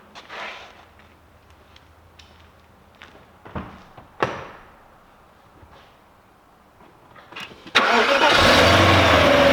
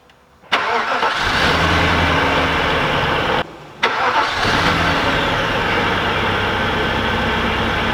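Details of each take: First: Audi S8 4.2 V8 (340 hp) with LPG, after the crank-no-start from a shorted blown front fuse was fixed: quiet clicks, then it catches and settles into a steady even idle; normal idle. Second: Audi S8 4.2 V8 (340 hp), after a crank-no-start from a shorted, blown fuse was repaired: the engine catches, dies and restarts, then runs lumpy and uneven with one cylinder missing.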